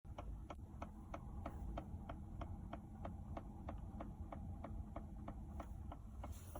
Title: Volkswagen Golf mk 5 ticking noise behind dash???